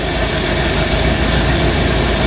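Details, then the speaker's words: 1975 Bricklin SV-1 V8 being made roadworthy, runs badly: lumpy, uneven idle with popping and banging; temp gun shows cold exhaust ports, three cylinders misfiring. "it's kind of boring it's just running runs bad but it runs let's just see here we I bought out the uh temp gun see if all the yeah it's missing on this you hear it popping and banging"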